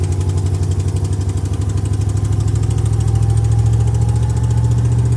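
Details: First test drive: loud, rapid puffing pulses in time with the engine, quickening slightly as it picks up; exhaust leaks needing repair.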